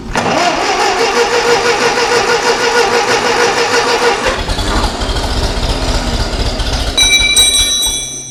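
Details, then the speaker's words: Ferguson TEA20 tractor, barn find stood 10–20 years, engine rebuilt with head skimmed and valves done: starter churns for several seconds with choke and some throttle but engine won't catch; carburettor not yet adjusted, mixture settings off. "Bit of choke. Oh, might do a little bit of throttle. Come on, girl. Love that old starter motor. Bit more throttle. Come on."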